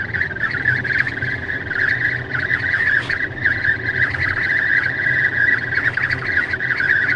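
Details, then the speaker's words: Tesla at 64–65 mph in the cabin: a steady high whistle holds over road rumble, air leaking past the passenger window seal. Intermittent for about 3 months, later fixed by service. "And I'm doing 65 miles an hour, 64 miles an hour, and that whistling is happening."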